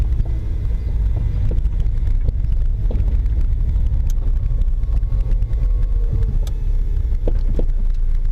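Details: Toyota MR2 Spyder with BC Racing BR type coilovers: deep road rumble in the cabin with occasional sharp knocks when driving over uneven road, still present after every bolt and nut was checked.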